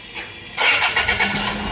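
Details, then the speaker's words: Land Rover Freelander engine after replacing the faulty V-belt tensioner that caused noise: short crank, then catches and settles into quiet, smooth idle with no squeal or chatter from the belt side. "देखो, कोई आवाज नहीं है। . बहुत चिकना।"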